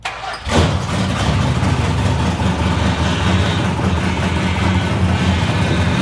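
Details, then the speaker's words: 1970 Dodge Challenger V8 (Kowalski replica), open exhaust not yet finished, started after power steering box overhaul to check for leaks: brief crank, catches cleanly, loud lumpy but steady idle, no knocks; gauges, charging and oil pressure fine; runs healthy. "Yep, she's thirsty, all right. Hey, she sounds good, doesn't she?"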